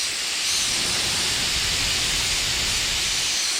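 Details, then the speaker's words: Check valve on a T-bucket's mechanical fuel injection pump under pressure test: steady airy hiss as it starts to open around 145 psi. "Looks like it's set right now at about a 140. Starts to open up around 145."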